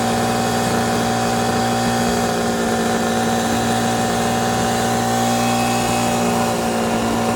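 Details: Two-stroke 8V71 Detroit Diesel V8 from an old tour bus, fuel racks tied at full fuel, in deliberate runaway at a sustained high speed with a hard whine on top, with water fed into the blower; it later overheated and locked up after the water was stopped.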